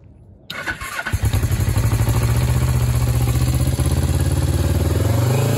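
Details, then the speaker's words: Suzuki GS500 twin after suspected flooding: short crank, then catches into a lumpy, pulsing idle that slows slightly; owner thinks it is purging flooded fuel. "yeah it uh definitely slowed down so I'm thinking that it's purging all the all the uh flooded fuel"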